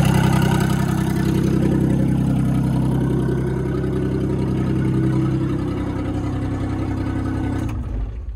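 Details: Machine (160 excavator) started up in the morning: loud raspy idle with sharp rapid puffing over low diesel beat, fading as it settles; exhaust leak by the muffler.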